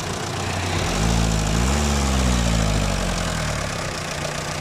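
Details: Mitsubishi Lancer diesel at idle: light, fairly regular tick over the clatter, rising briefly with a small rev; possible causes low oil, faulty lifter or bad connecting rod, unconfirmed.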